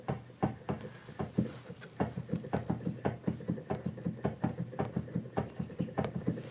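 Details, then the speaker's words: Used Kawai VPC1 keyboard controller: hollow, uneven clunks as keys are pressed, roughly three a second, some louder than others; keys angled with oversized gaps between them, abnormal wear from abuse. "can hear the clunky difference. Yep. That is not normal."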